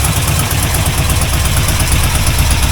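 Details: C4 Corvette 350 V8 idling after reinstall and repair of self-inflicted damage: steady smooth low rumble, no rod knock; running rich, not charging.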